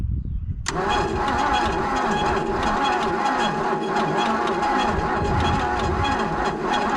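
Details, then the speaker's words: 1963 Plymouth Valiant AP5, 225 slant six, off the road since 1985, paddock revival; fuel line disconnected, fuel added to carburettor bowl; starter whines, engine cranks slowly and never catches; owner plans to check plug for spark, cause unconfirmed. "she's slow it's so slow to wind I might just knock that plug out and just make sure we get a power the way we had it before"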